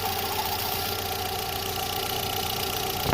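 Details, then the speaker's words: VW Space Fox with EA111 engine at idle: steady mid-pitched whine with a brief clatter near the end, suspected water pump or timing belt pulley bearing, along with water pump leak; cause unconfirmed. "ndei analisando aqui parece que ela vem dali ó da bomba d'água lá naquele rolamento ali embaixo"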